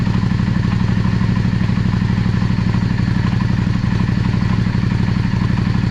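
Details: Yamaha XVS 650/400 Drag Star with rear wheel raised, engine running: fast even clatter about four per second; vibration when coasting at 30-50 km/h and a clunk on shifting, owner suspects driveshaft U-joint play, not confirmed.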